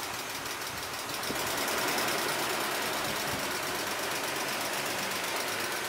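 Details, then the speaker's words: BMW E36 M3 started after long storage, slight misfire: light even ticking about three per second over a hissy idle; owner unsure, suspects piston slap or lifters from oil not circulating. "i think that's savannah or maybe it's piston slap i don't know it might be lifters too because oil has not moved around this engine for a long time"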